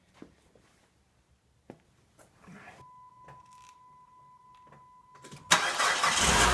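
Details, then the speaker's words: 2004 PT Cruiser, first start after electrical wire splicing, lower intake and fuel rail removal, gasket cleaning and coolant work: door chime, short crank, engine catches into a smooth, steady idle without misses; healthy, repair a success. "There we go, guys. That sounds pretty healthy, so I'd call that a success."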